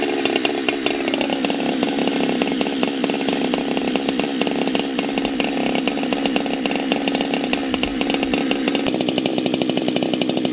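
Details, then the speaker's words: Husqvarna 365 chainsaw, 52mm big-bore build, first full assembly around the third or fourth heat cycle, carb not yet tuned right: high buzzing whose pitch wanders, sags and picks back up, unable to hold an even speed. Unstable running after the rebuild. "I'm still having a little bit of issue tuning the carb. I don't know exactly what's going on there, but we'll fire it up here and see what we think."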